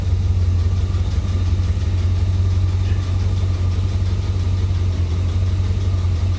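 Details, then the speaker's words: 1985 Chevy Corvette V8 rescued from Florida swamp, idling with one dead cylinder: rough uneven idle with loose metallic tapping rattle from the exhaust; metal chunks seen exiting, catalytic converter guessed destroyed, not confirmed. "Now, that tapping, rattling noise that you're hearing, that is definitely coming from the exhaust."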